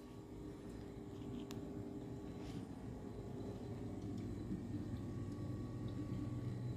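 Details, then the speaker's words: Samsung 7.4 cu ft refrigerator running: faint, steady low hum with no rattles or buzzing, barely above the room; quiet, healthy fridge running normally. "ส่วนของผมไม่ดังแอบปลื้มใช้งานดี้ม.ค"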